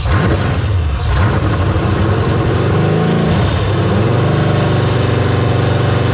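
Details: Resealed LQ4 6.0 LS V8 on a run stand with a newly installed Holley Terminator X: loud open-header rumble idling steadily, then rising and falling cleanly with throttle blips; normal idle and revving.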